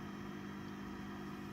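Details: Fender Super Sonic 22 amp with reverb cranked, rear panel off and reverb tank loose in its bag: steady low buzzing hum and fixed drone from a noisy, microphonic 12AX7 in the V4 reverb position, before replacing it with a Telefunken ECC81.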